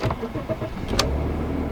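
A brief crank catches cleanly about halfway through, then settles into an even, smooth idle with no knocks or misses.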